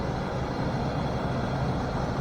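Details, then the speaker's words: Junkyard LS V8 on a really cold start, deep steady idle with no low-end or top-end noise and no lifter tick. "no lowend noise no topend noise this doesn't even have a lifter tick or anything going on with is phenomenal"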